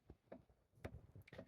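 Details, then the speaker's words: Mantel clock converted to a Seiko quartz movement with electronic speaker chimes: faint, soft, evenly spaced ticks of the pendulum striking the movement in a quiet room; normal mechanical tick. "If we listen carefully, you'll hear the tick tick of the pendulum striking the movement. Excuse me. It's just a mechanical noise, whereas obviously the chime is a electronic speaker."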